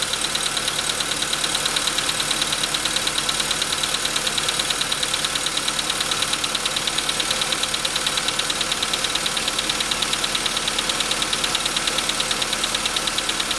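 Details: VW Jetta V engine at idle, with a clear, very regular bright metallic tap a little over once a second, heard from 15 seconds in; piston knock, later confirmed by the dealer, and pistons replaced under warranty.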